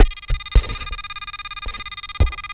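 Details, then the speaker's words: Pirate Pro metal detector with sensitivity raised from 5.5 to 7: steady high electronic tone pulsing evenly a dozen times a second, with a few handling thumps; believed to be threshold chatter from the higher sensitivity, not confirmed. "as you can hear it's making a very pulsing light sound and you can hear that"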